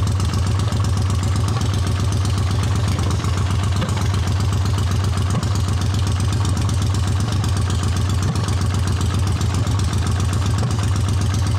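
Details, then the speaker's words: A 1979 Honda CX500 twin cafe-racer project has a low, loping, irregular idle with some firing pulses softer than others, suggesting one weak cylinder. The right exhaust is colder than the left; the cause is unconfirmed, and swapping coils is suggested. "The right exhaust is a little colder than the left exhaust, so something is going on there."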